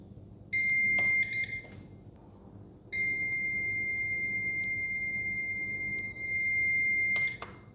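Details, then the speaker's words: CyberPower CP1000PFCLCD UPS: long, continuous high-pitched alarm tones with short gaps, E21 output-short error that returns at every power-on; owner suspects the battery, not confirmed. "So the error message is the E21. According to the instruction, it says output short."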